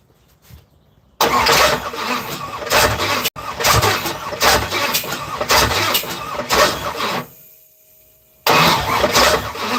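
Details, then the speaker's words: Third-gen (82–92) Camaro: starter churns in even rhythm, pauses, cranks again, never catches; crank, no start. Owner suspects fuel injectors stuck closed despite power to them; seems to have good compression; one coil pack was unplugged. "But I feel like my fuel injectors aren't working. But there's power to them. These just might be stuck closed."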